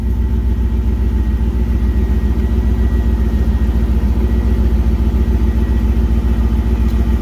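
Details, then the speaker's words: Drift Corvette V8 first start after a new starter, showing 50 psi oil pressure at idle, heard from the rear: deep, even idle with a steady regular lope and no tapping or knocking; engine sounds healthy. "Sounds like it's running fine back here."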